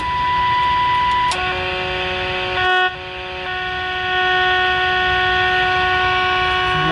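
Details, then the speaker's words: Sylvania AA5 tube radio alignment, signal injected through a 0.1 µF capacitor to pin 7: loud steady tones shifting in pitch over constant hum; receiver overloaded, too much signal even at minimum generator output with the attenuator fully down. "I am on the minimum output my attenuator cranked all the way down and we still got way too much signal"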